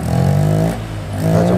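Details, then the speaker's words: Automatic scooter (motor matic) that would not move when throttled, after reassembling and evenly tightening the CVT housing: engine revs up, eases off and revs again with a steady, even hum, rear wheel now turns, no slipping or rattling; drive sounds normal. "kita cek Apakah roda sudah bisa berputar nah ini kita langsung bisa berputar dan suaranya pun sudah bisa"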